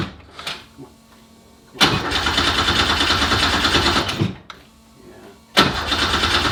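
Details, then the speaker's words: 1969 Porsche 911 with swapped Subaru EZ30R flat-six: two long bursts of steady starter cranking, about three turns a second, never catching; crank no start. "his guy said we check your ignition that when you're actually turning the key that that ignition voltage doesn't drop"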